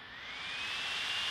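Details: Gigabyte P34G laptop, fan tweak set to turbo mode: hissing airflow with a high whine climbing steadily in pitch as the fan spins up to full speed; stealth mode makes little difference.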